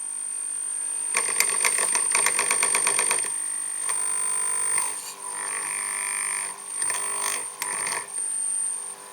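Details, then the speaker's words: Model train locomotive on the EMS system, just switched on: a thin, steady high whine or hum over clicks and handling noise, present even before the motor turns. This is the EMS drive squeal that a filter in the locomotive might reduce. "Ich bin vor längerer Zeit einmal gefragt worden, was man bei dem EMS-System gegen das Quietschen unternehmen kann. Oder das Surren, wie auch immer, wie man das bezeichnen möchte. Ich schalte das mal an und man hört dieses Brummen."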